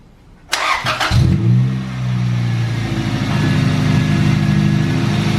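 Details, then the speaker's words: Engine after cylinder head rebuild with new valves and valve adjustment (valves were all too tight), timing fine: short crank, catches, flares, settles into steady even idle; running normally. "It's working so far. Hasn't died yet, but fingers crossed it doesn't."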